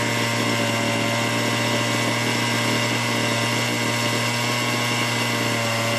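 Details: Small two-stroke chainsaw, long dead, revived after the carburetor bracket holder was fixed: it holds a steady, even buzz at constant speed with no misses or surging, running healthily.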